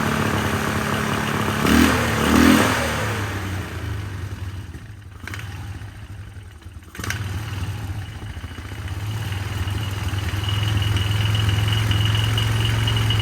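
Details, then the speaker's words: 1999 Polaris Sportsman 500 single-cylinder ATV, first start after fuel pump replacement, temporary gas tank, airbox off: uneven surging idle that nearly dies, then recovers ragged. It runs rough, and the carburetor needs tweaking; it sounds better once the airbox is fitted. "running not running smooth as I like to see it let me tweak on the carburetor a little bit"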